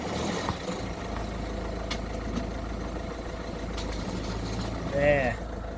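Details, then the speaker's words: Citroen Berlingo 1.6 HDI; chattery noise in neutral that stops when the clutch is pressed, turning to a heavy low drone and rumble as the van creeps back and forth; clutch or gearbox fault, gearbox later removed, worn bearing unconfirmed. "I've been around cars long enough to know that that's not a pretty noise um so noise goes away when you press a clutch that means it's definitely something related to the clutch or the gearbox"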